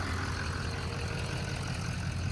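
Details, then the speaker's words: LML Duramax diesel truck idling after fuel filter housing replacement, with the owner saying it should never leak back down; deep, steady rumble with an even beat and no misses or knocks, normal idle. "So, the fuel filter housing worked. We're good. It's running. Should never leak back down. Should be great. Fine and dandy."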